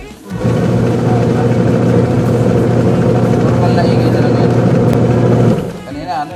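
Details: Sharp Giga Wash washing machine, newly installed gearbox and belt run with pulsator off: motor hums low and steady with a fast, uneven rattling rub of something catching; part was striking, and coins and lint were found clogged inside.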